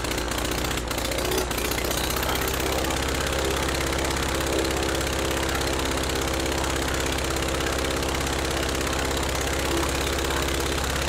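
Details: Rebuilt Praga B2 aero engine, last run 1 September 1939 on Hillson Praga G-AEYM, test-run bolted to a Vauxhall, at full throttle with lots of smoke: hard, steady pounding beat holding evenly with no misses or knocks; pulls cleanly.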